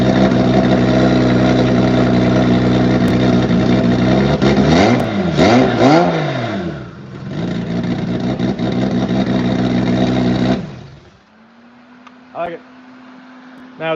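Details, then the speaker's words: Engine on ethanol fuel; a crisp, even idle with clean rising and falling revs and no misses or knocks, then a sharp shutoff. Healthy engine. "Oh, it sounds so good. Use more fuel to the lane. Wow, that sounds good."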